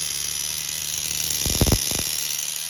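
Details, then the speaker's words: Tamiya TGS-R nitro RC car with OS 12CV engine, after engine pulled, inspected and reassembled over suspected rod bearing roughness: high steady buzzing whine with short throttle blips, clean pickup, no clutch drag; normal running. "Sounds good to me. This is all fixed up with that clean to it. No clutch drag, nothing."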